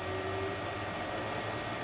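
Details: Rebuilt circa-1940 Hercus lathe after static balancing of the spindle pulleys, which had caused heavy vibration: steady, even hum with a faint high whine at low spindle speed, no wobble or thumping; running smoothly.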